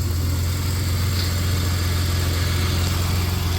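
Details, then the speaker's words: 1993 Dodge Caravan, after a blown head gasket was fixed and the engine survived water getting in: smooth, even low idle, purring, with no knocks, misses or ticks. Engine sounds good. "Listen to that thing purr. Yeah, that motor sounds good. I cannot believe that motor survived that that amount of water."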